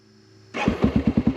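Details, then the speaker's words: Honda XR650L 644cc air-cooled single on a hot September dual-sport ride: button press gives a brief crank, then it catches at once and settles into an even thump about eight beats a second; healthy instant electric start. "like it's as fast as i can hit the button the bike starts right there that tells me the bike's probably gonna be running pretty good"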